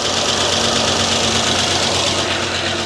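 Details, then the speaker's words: Freshly rebuilt 2006 LS4 5.3 V8 in a Monte Carlo SS on first start: fast light lifter ticking about three a second over idle, quieting as oil pressure comes up. "you going to shut up he a little loud it's a lifters it'll shut up give it a minute"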